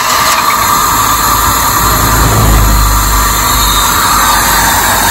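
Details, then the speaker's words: 1997 Honda Civic 1.6L D16Y7, crank-no-start with no spark, traced to a bad ignition coil in distributor: catches and settles into steady, even idle with no misses or knocks. "sweet we're good all right so weak spark on one distributor the other distributor had a bad coil all together now it's running"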